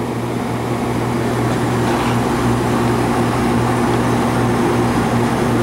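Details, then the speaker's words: Condensing unit running normally as a comparison to a scroll compressor unit with low capacity: steady hum, low drone and fan rush, dissipating heat with liquid toward the bottom; normal operation. "normal dissipating the Heat and then liquid towards the bottom there"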